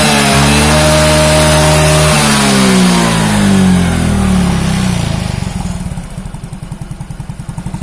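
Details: Yamaha Mio J scooter after repair of a rough rattling engine noise traced to the cylinder block and piston, oil level normal; revs up and settles to a smooth, even idle with no knocking or rattling; normal running.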